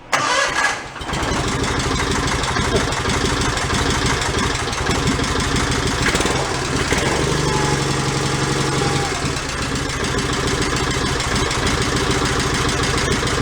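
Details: John Deere 318 garden tractor running off a clean fuel can to purge contaminated fuel, no choke: catches after a brief crank and settles into a steady, even idle with no misses or stumbles.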